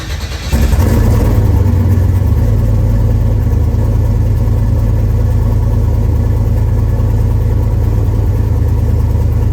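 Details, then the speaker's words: Turbo car, nearly straight-piped, fiber header gaskets from kit blew in under 3 hours with loss of boost: engine catches then loud, fast, uneven puffing tick over idle drone; owner suspects exhaust manifold gasket leak, swapping to MLS gaskets. "that's why I think it's a header gasket um obviously"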